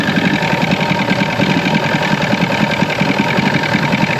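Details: 1996 Force 120hp two-stroke outboard after water pump replacement, started in warm-up position; choppy but steady idle at about three to four pulses a second, settling as it warms, running normally.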